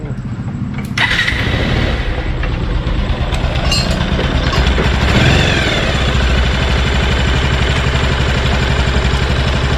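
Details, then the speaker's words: 220 single just rebuilt with a new cylinder kit and fresh oil, first start: fires up and settles into a steady, even idle around three beats a second with no knocks or rattles. Now silent and healthy. "ഓക്കെയാണ്, സൈലൻ്റാണ്, പൊളിച്ച്."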